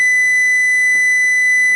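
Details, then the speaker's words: Radio transmitter modulator fed a TTL square wave on a 1000 Hz tone, amplitude far too high: a steady high whistle with a heavy buzzy edge and stacked overtones. Tone distortion from overdriven modulator input. "oh it might have to tune in now it might it is far too high I will five far too high amplitude far too far too high"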